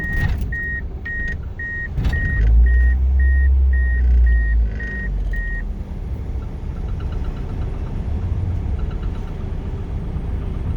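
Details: DSM 4G63/420A (Eclipse, Talon, Laser family) with hesitation: a low, uneven, lumpy rough idle under a chime beep that stops after a few seconds. The cause is not yet found.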